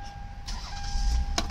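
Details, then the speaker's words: 2004 Toyota Avalon XLS with about 182,000 miles, traction control, check engine and VSC lights on: brief crank and catch, then steady low idle with faint even whine; starts promptly, normal engine start. "perfectly fine and starting up. Runs good, shifts good, of course."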